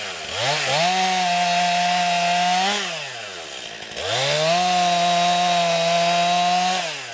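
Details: New 50cc chainsaw, about ten pounds, cutting wood on a cold day: two cuts, each revving up quickly and holding a strong even high note under load, then dropping back; lots of power for its size, pulls cleanly.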